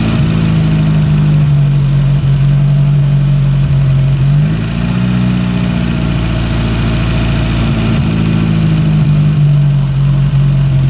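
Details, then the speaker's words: Porsche 924 Turbo, long-sitting, with new spark plug wires, vacuum hose to the distributor retard reconnected: steady idle that climbs cleanly when revved, turbo spooling up well, then settles back without misses. Normal. "And she spools up pretty good."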